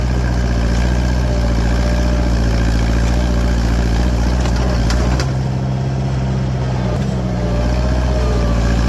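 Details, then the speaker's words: Farmall 504 tractor after clearing clogged sediment bowl, driving down into pit ruts where it bogged from low fuel before: steady low engine pulling evenly under load, slight strain midway, no misfire; normal running under load. "If it's lacking one thing, it's more weight, but she pulls her own."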